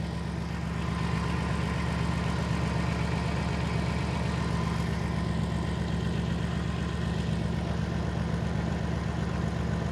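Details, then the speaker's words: 2007 Dodge Caravan 3.3 V6 idling, codes P0202/P0302, heavy misfire and power loss despite customer-replaced parts; steady uneven lope, stumble about four times a second; power on injector control side but PCM not energizing injector, PCM suspected: misfire at idle. "so we we are getting power here on the control side but PCM is just not energizing the the fuel injector"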